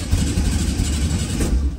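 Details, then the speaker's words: 1967 VW Type 3 Squareback after swapping to a Pertronix SVDA distributor, timed at 7.5° BTDC, coils for cylinders 3 and 4 found swapped: low uneven lumpy stumbling beat held on throttle; runs rough and would likely stall if released. "okay I got it to run and it's really rough I'm just holding the oh yeah I'm holding the gas pedal and I feel like if I let go it's just gonna die"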